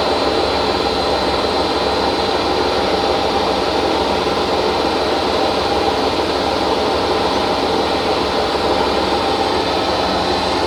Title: hotpoint first edition - bad bearings 1200rpm